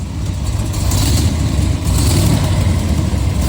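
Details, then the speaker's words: 1969 Corvette with about 14,000 miles, Hooker header side pipes with mufflers: deep smooth V8 rumble rising through a rev, no lifter clatter; hydraulic cam, not solid lifters, healthy. "you can hear that it's it's a it's a hydraulic cam motor definitely not solid liid cams"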